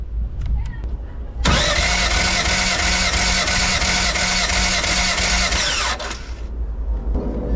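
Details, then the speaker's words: Race car engine after running high boost, breaking up in mid fourth gear and found with a bent valve: steady compression-test cranking about three pulses a second; cylinder 3 reads about 168 and cylinder 4 about 170, healthy, while cylinder 2 reads only about 135. "and the three is good so in three we've got um like one 68 or so closer to one and last but not least seven to four 170."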